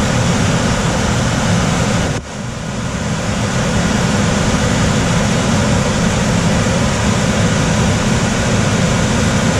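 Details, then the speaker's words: Coleman DGAX056BDTA manufactured-home furnace, constant-torque ECM blower, 24-volt taps: loud steady rushing airflow roar with dull low hum, no rattles or scrapes when main blower runs; loud blower noise, high speed tap suspected. "Is it just when the main blower comes on you notice probably?"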